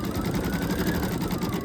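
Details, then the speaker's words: Embroidery machine just back from service stitching rapidly, about a dozen stitches per second, with a faint steady hum on top; cause of hum unknown, stitching unaffected. "But with having that weird noise it's making, like a humming kind of thing."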